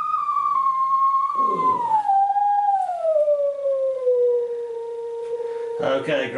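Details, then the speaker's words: Custom synthesizer player interface (STM32 Nucleo, PC sine generator): string-controlled sine tone slides downward, wavers, then crackles and drops out, from intermittent string contact. "great theremin impersonations, but you can hear it's all breaking up and warbling, and that is that is what we're trying to get rid of."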